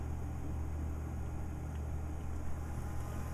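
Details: Replacement wireless bridge PC for a server rack, lightly loaded with a video card: a low, even buzz with a deep steady hum underneath, unchanging throughout. Electrical buzzing, cause unclear.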